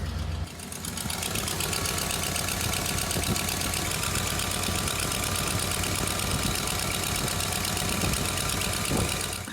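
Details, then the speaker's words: Orange Suburban idling after another exhaust manifold gasket attempt: a quick, light ticking about three per second over the steady idle, an exhaust manifold leak still puffing past the gasket, cause not yet found. "this is attempt to wish me luck i'm not optimistic but realistic we'll see still leaks oh maybe there's something else going on i'm missing here"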